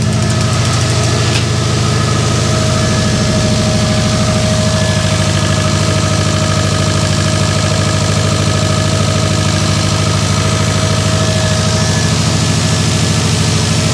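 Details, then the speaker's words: Subaru WRX 2.5 turbo, freshly assembled engine after oil priming, just after first start: strong even idle pulse, no missing, tapping or knocking; smooth, no leaks seen. "Oh man, it sounds great. Any leaks down below here? Nothing that I can see. Feels smooth, doesn't feel like it's missing at all."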